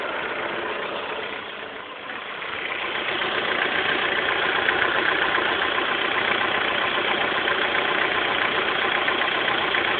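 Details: 2006 Honda S2000 engine idling with a fast even rattle, about two or three beats a second, present for a week; owner suspects timing chain auto tensioner (TCT), unconfirmed.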